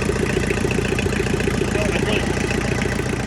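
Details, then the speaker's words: Diesel tractor pulled from a pasture, after tightening injectors and refitting the intake hose: steady even idle with regular chug, no misses; running smoothly, fuel filter still needed. "All right. I'm gonna put our intake hose back on. Much quieter already. Alright. And she lives to run again."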